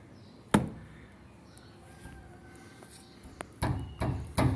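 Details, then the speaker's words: Chevrolet Corsa front stabilizer bar link ("morcego"), wheel off with the car on a jack, struck by hand. Loose hollow clunks in short bursts from play in the worn link; this caused the front-end noise while driving. "aí quando ela estraga ela fica tá fazendo um barulho rangindo vou bater nela aqui para vocês T uma noção zinha aqui ó ó o barulho que faz tô batendo aqui"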